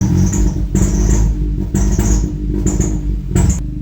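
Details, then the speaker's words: Ford EcoBoost engine, timing done without timing tools: starter cranks in repeated slow churning bursts with whirring, no clean catch; hard start, cam/crank correlation fault. "It's a hard start. No cam crankshaft coration."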